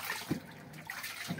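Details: LG washing machine after repair of non-stop beeping error by bypassing the faulty lid-open sensor on the board: water running and splashing into the drum, a steady normal fill with no warning beeps.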